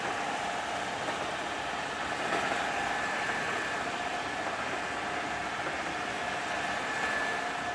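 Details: Newly built Pearl on her first test run, gearbox powered through a temporary clutch/brake lever, at top speed (about 1794): smooth, even hum with a steady mid-pitched gear tone and no knocks or rising whine; normal running, no noisy gear.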